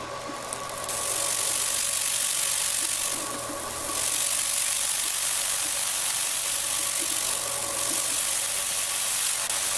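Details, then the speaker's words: Laser marking machine at 50% power, frequency 35, with the scan head raised and lowered on the Z-axis knob. A steady hiss with a faint whine swells loudest where the beam burns hardest, marking the correct focal length and the smallest focal point. "And then when it's at its loudest and most intense, that's your focal length. That's where you're getting the most heat input and the smallest focal point on the laser beam."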